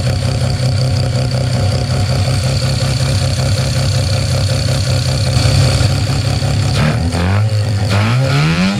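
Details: Mazda 13B rotary with EMPI IDA carburettor after replacing the faulty fuel regulator and setting a high float level with a glass-ball needle seat: strong, even rotary drone that picks up cleanly as the revs climb; normal revving.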